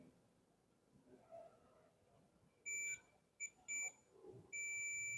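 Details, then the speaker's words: Double-door frost-free refrigerator defrost timer in heating mode, with a multimeter checking continuity across terminals 3 and 2. Short high-pitched beeps, then a steady tone as the meter shows resistance. Continuity beep: timer heating contacts closed and good. "देखिए beep sound आ रहा है और resistance value दिखा रहा है ये। तो इसका मीन बीप साउंड आ रहा है, रेजिस्टेंस वैल्यू दिखा रहा है, दैट्स मीन्स हमारा ये कनेक्ट हीटिंग मोड पे कनेक्शंस लग गए हैं।"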